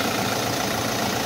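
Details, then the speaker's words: Kia Soul after drive belt replacement: a smooth, steady idle with no squeal or chirp; the belt noise is gone. "yun, okay na mga boss, wala nang ingay."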